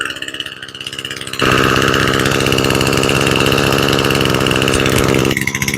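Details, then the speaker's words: Echo SRM 225 two-stroke string trimmer after carburetor rebuild, choke off after first start: light idle swells to strong even high-speed run and settles smoothly; sounds steady, idling a touch high, adjustable by one rear screw. "Now you can hear her. She sounds nice and steady. Idling just a touch high."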